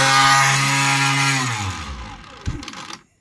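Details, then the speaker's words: Homemade water jet pump with a 3D-printed aluminium impeller, ESC-driven motor on an ESC tester: rough, buzzy high whine that wavers and winds down unevenly; a part was left out, so the shaft drops and rubs on the plastic housing. "That's why it sounds sounded so terrible. What happens basically is that it falls down a little bit and starts going around on the plastic instead."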